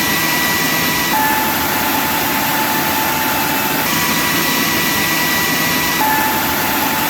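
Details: Big Joe Tool ShopSmith Mark V model 500 clone after replacing a narrow, worn drive belt: steady, even high-pitched motor and belt hum, no slipping, chirping or knocking, slightly faster than with the old belt; normal running.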